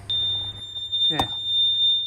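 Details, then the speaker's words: Bobcat micro digger with faulty engine oil pressure switch (no continuity when pressed): high, piercing warning buzzer sounds constantly, falsely signalling no engine oil pressure; switch needs replacing. "So is that why our buzzer on the machine is going off all the time, thinking that we haven't got engine oil pressure?"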